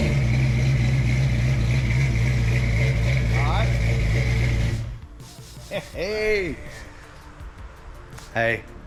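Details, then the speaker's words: Fresh 306 HCI V8 Fox Body first start-up at idle: steady rumble with a light regular puffing tick, then shut off; exhaust leak suspected at the header collector, probably not a header tube. Exhaust ticking. "got a little exhaust leak up here that we're gonna have to figure out but it sounds like it's that the collector coming off the header i don't think it's a tube a header tube"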